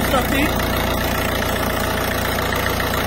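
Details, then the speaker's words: Citroën C4 Picasso 1.6 HDi, pre-05/2010, after injector seal work, as injector seal leaks were diagnosed as the underlying cause of turbo failure: steady, even diesel idle with light regular clatter, no misses; engine runs perfectly. "moteur tourne parfaitement"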